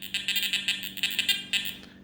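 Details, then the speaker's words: Garrett Ace Apex metal detector near computers and Wi-Fi: irregular high buzzing bursts about five per second, coming and going with no target present; electromagnetic interference chatter. "Oh, there's some bad EMI."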